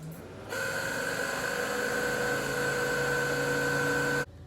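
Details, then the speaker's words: Pontiac Fiero radiator cooling fan: kicks on with a steady whir and a thin constant whine that stays even until switch-off; fan possibly due for replacement. "got a video for those of you who are weird and brave enough to daily drive a Fiero um if your cooling fan is making this kind of a sound when you turn it on"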